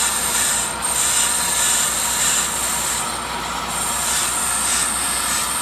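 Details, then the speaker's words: Older Accu-Turn 8922 brake lathe machining a rotor: a steady high metallic squeal of the cutting bit over the lathe hum. The cut bites harder once past the pad-worn area onto the unworn outer lip. "sometimes when you get past the point of um where the pad has ridden before you'll have more material you can hear it sounds like it cuts a little harder"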